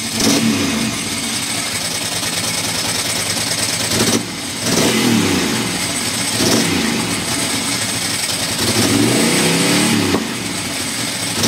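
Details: Ducati Monster M900 Sie, really that loud: uneven rev blips with a stumbling, arrhythmic exhaust beat. Intermittent misfire that seems to happen when cold or wet; owner plans to check the headlight wiring loom; cause not confirmed.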